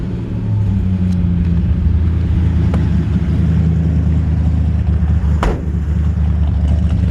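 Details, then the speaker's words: 1955 Ford F100 with late-60s 302 V8 and C4 automatic, driving in reverse: deep, even V8 rumble, steady and smooth with no knocks or misses; engine and transmission sound healthy, shifts perfect. "reverse works good I'm me doing it in reverse right now just got a really great sounding engine"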